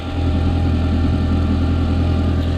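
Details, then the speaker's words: Audi after repair and warm-up, fixing an awful noise that set the engine light: steady, even low idle with a smooth deep hum, no puffing or ticking; the earlier noise is gone and it runs clean. "sounds better now that awful sound is gone it was it was bad"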